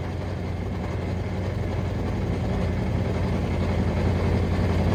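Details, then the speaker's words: V8 from a long-parked vehicle first running after revival: heavy rough rumble with fast steady knocking; bottom-end noise, owner suspects a couple of broken or spun rod bearings; oil possibly milky. "it has a lot of bottom end noise for sure uh i don't know oh man that sounds like there is definitely some broken or spun rod bearings not just one but a couple"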